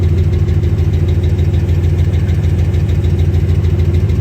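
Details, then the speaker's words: 2009 Dodge Ram Sport 5.7 Hemi after a fuel pump replacement for a no-start, with no leaks seen: a deep, even idle rumble with a steady beat of about three per second and no knocks or stumbles. Normal idle. "We'll let it run for a while. Sound good to my ears."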